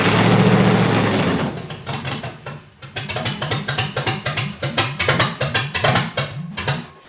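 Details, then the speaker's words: Junkyard Vortec 5.7L V8 swapped into an S10, on its first start after a head swap with no coolant yet: runs with a lumpy, irregular beat that fades and stumbles, dying at idle but responsive to throttle; seems to fire on all cylinders, cause unknown. "sounds like it's firing on every cylinder for some reason it's dying if I give a gas you hear me Revit it's responsive so I'm gonna have to figure out the idle issue"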